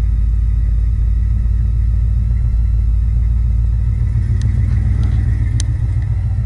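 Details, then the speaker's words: 1969 Chevelle SS V8 started with no choke and no gas pedal: deep, even burble holding a steady lopey rhythm with no misses, knocks or ticks; running like a champ at a normal idle. "can you all hear that running like a champ"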